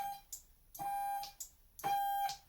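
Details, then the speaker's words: Ultimate-NAG52 V2 transmission control unit on a quiet bench, running its application with the TLE chip under slave-mode CAN: clicks, each followed by a steady high electrical buzz about once a second, as solenoids fire on command; normal solenoid operation. "whereby I can currently set off the solenoids and you can hear"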